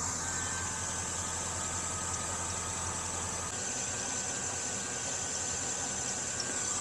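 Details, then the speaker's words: 2000–2006 Chevy Tahoe V8 (4.8L, 5.3L or 6.0L) at idle after belt tensioner replacement: a steady high squeak persists over a quiet idle. The new part didn't fix it; owner wonders about the AC compressor. Accessory belt squeal. "That is much better. All righty. Still got a little bit of a squeak. This wasn't what it is. Apparently that's not what it was."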